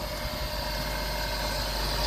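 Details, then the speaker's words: 2006 Suzuki Grand Vitara 1.6 petrol 4WD at idle after purchase: engine otherwise quiet and smooth, but a thin steady mid-pitched whine from the belt drive area, maybe a pulley or the belt itself; owner's gut suspects the alternator. "a bit of a whine from the belt drive area, maybe a pulley, maybe the belt itself. My gut is the alternator."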